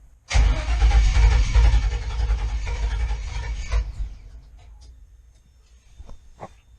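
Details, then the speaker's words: GM engine with Fitech loaded intake manifold and factory GM computer tuned via HP Tuners: fires and runs roughly about three seconds, then revs sag and it dies, second stall after start without throttle. Cause suspected, not confirmed. "Okay, so that was another stall again. Um, I'm trying to figure out here if it'll start without giving it gas."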